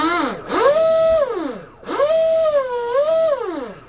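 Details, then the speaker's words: ProBoat SonicWake V2 with 4082 1280kv motor, on twin 4S packs, freshly greased upgraded flex cable, no liner. Clean motor whine rising and falling smoothly with throttle, no rattle or chatter; normal flex cable run. "cable actually sounds good we just greased it up and everything actually sounds pretty good"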